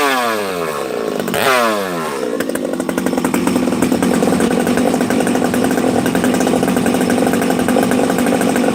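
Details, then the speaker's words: Freshly built Husqvarna 371XP chainsaw, first start on choke after six to eight priming pulls: fires and settles into a burbly, uneven low-speed run, rich on the bottom end because of assembly oil in the crankcase. "a couple things here friends you hear how you hear how rich it is on the bottom this thing's got oil you know how I put the assembly oil in the bottom end when I'm first building the saw"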